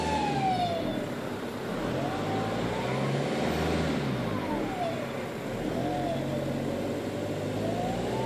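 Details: 1.9 TDI (ARL) diesel with a pronounced loud whistling whine climbing and falling with each rev change; owner suspects turbo failure, source not confirmed.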